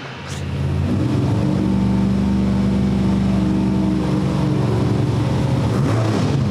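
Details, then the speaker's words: Old-school small block Chevy with mechanical 8-stack individual throttle injection in a Fiat drag car: lumpy, uneven V8 idle, cylinders cutting out as idle is lowered; owner suspects throttle blades slightly off in their bores, plugs flooding on one side. "I'm going to start checking some other stuff cuz I'm getting tired of trying to make this to idle idle down lower cuz it keeps on wanting to shut off cylinders as I get it the lower so it means each individual blade is just like slightly off in the bore or something"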